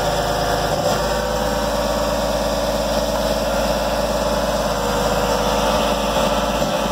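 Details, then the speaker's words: Junk lifted 2004 Jeep Grand Cherokee, 4.0 inline six, first start, oil found black but full: steady idle with a dry, busy clatter; owner suspects no oil, cause not pinned down. "so to me sounds like it's got no oil not sound very good you don't sound too healthy boys"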